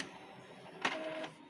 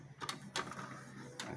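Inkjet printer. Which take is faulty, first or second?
first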